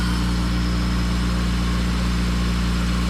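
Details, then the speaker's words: Honda EM2 with K-series engine swap, after shift cables and exhaust work: smooth even idle, steady deep hum, pretty quiet; K-series high idle; possible exhaust or intake leak suspected earlier. "sounds good definitely sounds like a vibrant it's got that K series high idle but we'll take that"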